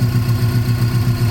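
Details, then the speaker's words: 1994 Subaru Impreza WRX barn find, stood 16 years, after new fuel filter, oil filter and a bypassed bad igniter ground: firm, regular, even idle with no misses or knocks; engine running healthy. "it's running good. I'm just going to see if it'll drive."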